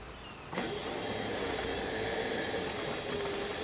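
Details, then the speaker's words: 2006 Toyota Prius coolant bleeding: electric coolant pump whir drops slightly in pitch as it slows, meaning air is out of the line and it is pumping liquid; normal. "And when the pump slows down, that's because it's got all the air out of the line. And the liquid is more dense, obviously, so the pump's going to slow down and draw more current."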